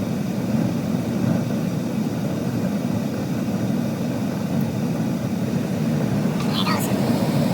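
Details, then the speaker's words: Gas furnace after replacing the inducer motor, whose failed bearing caused screeching and burners shutting off after 5–10 seconds: new motor with new fan runs silent; steady, even whoosh with no screech as it fires up. "yeah the new one is silent all right let's see how it fires up"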